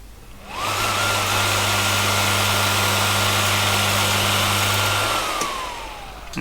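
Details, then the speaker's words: Teletype ASR33 motor during restoration: loud steady hum and surging, unable to reach running speed because start-winding relay contacts stay closed, start winding permanently in circuit; motor gets very hot. "you can hear the motor surging as it's trying to go into normal operation but it can't because the start winding is permanently in circuit"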